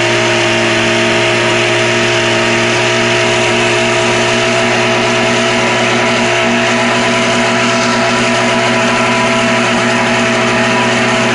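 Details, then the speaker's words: Troy-Bilt two-stroke string trimmer (25cc or 27cc) warmed up at full throttle: high, raspy steady drone with no stumbling or surging; running normally, doesn't choke out once warm. "once you got it going and warmed up then you're good to go it won't choke out"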